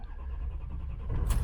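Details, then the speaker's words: 2004 Ford F350 6.0 Powerstroke turbo diesel, 173,992 miles, EGR delete, otherwise stock, driven briefly so not at operating temp: deep rumble, then a quick crank and catch as it fires right up without hesitation; no check engine lights. "Truck fires right up, no problem. No check engine lights."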